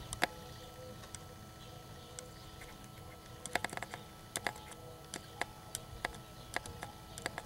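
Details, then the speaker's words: EVAP purge solenoid bench-tested by tapping power on through an alligator clip and incandescent test light: faint sharp click each time it is energized, solenoid switching and working. "so I'm just going to tap on right here and you can hear it clicking a little bit"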